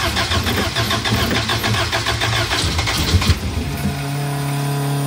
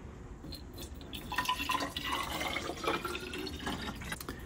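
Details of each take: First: Elva Courier Mark III race car barn find, first start with fresh fuel and plugs reinstalled: several seconds of rhythmic cranking, then catches and settles into a steady, even idle; tachometer not working. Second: Elva Courier Mark III barn-find race car, engine off: irregular trickling and dripping as water poured in drains out through a removed radiator bottom plug; another fitting plug also likely missing.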